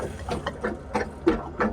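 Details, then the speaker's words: Winnebago Ekko van gulper (grey water) pump running while the sink is used: quick, even chattering pulses about three a second, no grinding. It pumps water to the holding tanks; the van is parked on a decline. "you hear that noise that is the gulper pop now right now the reason that the gulper pump shut down is we are parked at a decline or if we were level our gulper pump is only going to make as much noise as required for it to pump water to our holding tanks"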